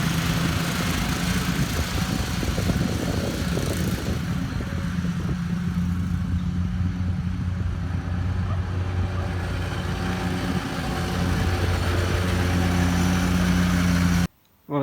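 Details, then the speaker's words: 2013 Walker T23 commercial mower with a 23 hp Kohler twin, back mowing after years in a paddock: steady, even low drone while cutting, no misses or knocks; pulling well. "you saw it was Maring really well in cutting the grass well and I uh was really enjoying it it was going good"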